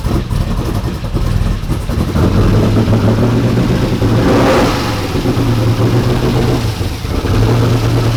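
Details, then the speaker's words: 1992 Ford F150 prerunner V8 after fuel pressure regulator set properly, fuel at 55 psi, oil pressure up to 34: deep, steady rumble with a brief throttle blip, settling to an even idle; runs clean. "oh my he's hethy definitely healthy 34 idling now way way better at about 55 right there 55 lb"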